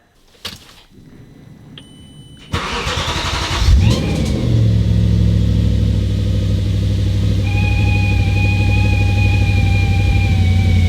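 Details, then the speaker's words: B7 Audi RS4 first start after battery reconnect and hard reset, window down: engine cranks and catches, then a thin steady high squeal over idle; squeak from an unidentified pump. "This time I'm going to turn the car on with the window down so that maybe you can hear that squeaking goat sound from whatever pump or whatever it is a bit better."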